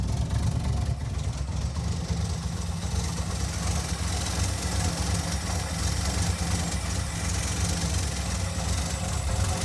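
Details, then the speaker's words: 1982 Ford V8, cold idle after fitting a fuel pressure regulator (now about 6.5–7 psi, previously 9.5 psi with black smoke and hard lope): deep rumble with only a mild slow lope, no stumbling; idle settled and acceptably smooth. "hey guys island there i know it's a little idle but that's because it's cold"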